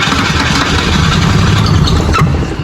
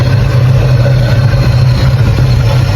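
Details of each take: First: 1984 Holden VK Commodore, after the ignition coil was unplugged and unbolted from the engine: steady churning crank with a sharp pop instead of catching, sounds like running backwards; backfire through the carburettor, white smoke puffed out. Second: 1984 Holden VK Commodore while checking ignition timing before paint: loud, even idle with steady deep hum, no stumble or miss; normal idle, timing judged about right.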